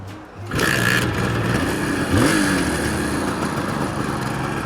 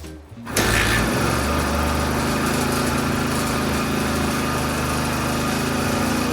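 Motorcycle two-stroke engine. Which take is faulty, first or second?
second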